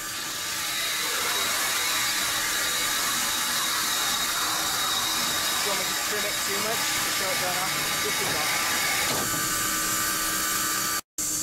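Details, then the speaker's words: Steam locomotive boiler injector on a successful start: steady, even rushing hiss with a faint high singing note that holds without breaking; the injector has picked up and is feeding water. "there's one that it did pick up and is working now let's listen to this here's a successful start"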